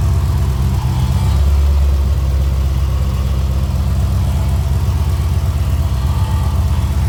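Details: Drag car: deep, steady V8 rumble with an even beat, no knocks, ticks or misses; healthy running, no alternator fitted.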